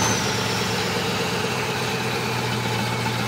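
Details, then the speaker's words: 1995 Dodge Dakota club cab with professionally built 390 stroker V8 and aluminium roller rockers, fuel pump primed twice, rarely driven: catches quickly, settles into steady, even, deep idle exhaust rumble, no misses or knocks; normal cold start idle. "that's your startup. So I don't know how the sound is on this, what you can hear, but that's the idle exhaust note. There's the motor running."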